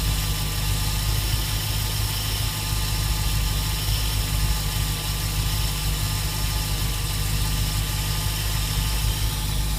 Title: Srt8 hissing noise 3